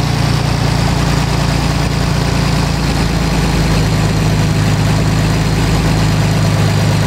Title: 1920 Locomobile first run after rebuild